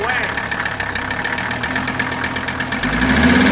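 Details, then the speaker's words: Mercedes 300TD turbo diesel at idle and off idle, before teardown: heavy knock about three per second riding over diesel clatter, staying off idle; connecting rod knock, owner suspects piston problem. "We're going to open up old Buster's turbo diesel engine, and we're going to find out what is making that knocking noise. Now, some of you may say, well, that's just normal diesel clatter, but I don't think so."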